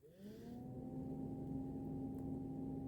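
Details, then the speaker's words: 2002 VAZ 2112 cabin heater blower after replacement with a new Luzar fan, switched on: spools up quickly to a steady, clean hum with no rattle or scraping; working properly. "вам слышно, как работает электровентилятор. Второе положение. И третье."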